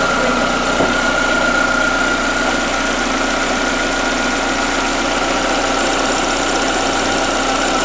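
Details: Skoda Fabia 1.4 BKY, automatic, after engine rebuild for piston slap (noise on cold starts and under load): steady, even idle hum with constant mid tone, no rhythmic knocking; rebuilt engine sounds healthy, normal idle.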